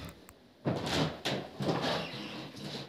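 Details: Apartment wooden floorboards on joists before repair: loud creaking squeaks under each footstep, later fixed by screwing boards to the joists.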